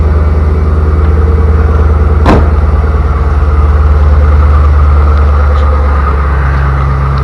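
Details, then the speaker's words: 2000 Chevy Camaro Z28 LS1 automatic after fitting new torque converter bolts: deep even V8 idle burble with a short rev, previous knock gone; engine runs healthy. "hopefully you can tell it is no longer knocking so that by far was the best scenario it could have been"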